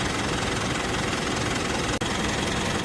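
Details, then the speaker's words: Mitsubishi Montero engine idling after a new drive belt and a tightened tensioner bearing nut: steady idle with an even clatter and no squeal or chirp. The owner previously heard noise when starting in the morning. "Pero ngayong bago na itong belt, wala ng tutunog diyan."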